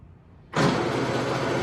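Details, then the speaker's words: New motor powering the table feed on a No.3 Kempsmith milling machine, clamped to a hydraulic lift table. It starts and runs at a steady pitch with a buzzy rattle from the loose clamped mounting. "It's pretty rattly because it's clamped to a hydraulic lift table."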